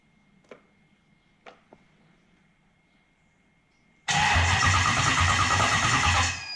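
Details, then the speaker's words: Link Extreme ECU, cranking to check trigger and RPM signals; faint clicks then about two seconds of dragging crank, never catches, ECU goes offline: slow cranking from flat battery. "I need more voltage. My battery's getting flat. So you saw when I went to crank it, it went offline. Simply because I don't have enough voltage happening."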